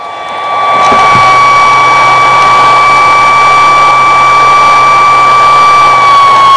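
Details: 200 watt pure portable inverter on 12V car battery, switched on: after about a second a loud, steady high whine with hiss that never changes; noisy cooling fan, heard across the room.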